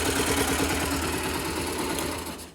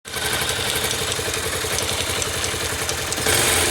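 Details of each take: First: 2009 Yamaha YBR/Factor 125 after repair: even, steady single-cylinder beat with no top-end tapping; the earlier tec-tec noise is gone and the engine runs quietly. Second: 2009 Yamaha YBR/Factor 125 before repair: a light, fast tick at about four per second rides over the steady single-cylinder idle, a tec-tec noise from the engine.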